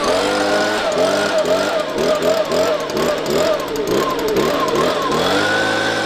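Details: Two-stroke leaf blower that had lost power and bogged, after cleaning and refitting its spark arrestor screen: blipped up and down, revving cleanly each time with no bogging or stumble.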